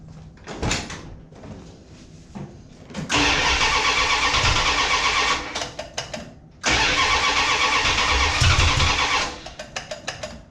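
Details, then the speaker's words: Mopar Ramcharger after an ignition system upgrade, carburetor not yet adjusted, air cleaner on: engine catches after a short crank, then revs in uneven, lazy, flat surges; rough, hesitant running, suspected to need more ignition timing. "Okay, that sounded like I needed some more timing in there. I have not adjusted anything on the carburetor right now."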